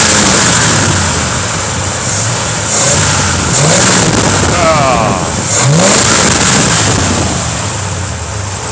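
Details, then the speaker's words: 1957 Dodge D-100, 315 cid poly-head V8 after rebuild (new pumps, timing chain, plugs, magnetic-pickup distributor, 2-barrel Rochester carb): blips up crisply with each throttle touch and drops back cleanly; healthy responsive engine. "So responsive now. As soon as you touch that fuel pedal, it goes."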